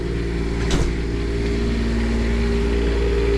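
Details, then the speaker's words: Onan QuietDiesel 7500 W generator in 2000 Holiday Rambler RV on air-spring mount after service, still at high idle during warm-up, charging batteries at 13 V and powering toaster oven: steady constant-pitch drone, no hunting or knocks; normal high idle. "So this is still a high idle. It's going to come down to low idle shortly."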